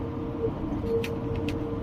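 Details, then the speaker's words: SAIC Maxus (Datong) V90 driven on road with 4S shop mechanic aboard: steady mid-pitched whine above road rumble from the rear axle, cause not yet found; mechanic then reflashed engine computer. "朋友们好，我们的车吧后桥有异响，来到 4S 店请师傅看一下。"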